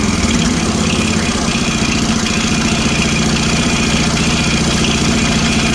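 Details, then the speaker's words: Toro 724 OE 1000 Series 7 hp 24-inch snowblower engine running at steady speed after electric start, light rapid ticking over the exhaust beat; valve clearance found far too loose, needs valve adjustment. "you how much that floating around that's way too loose I don't have the proper tools for me today to do that"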